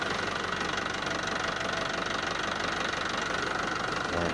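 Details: Hino 300 diesel truck idling for a 1–2 minute run after an oil change and new drain plug, before the oil level is rechecked. Even diesel clatter roughly three beats a second, steady with no misses or odd knocks; runs normally.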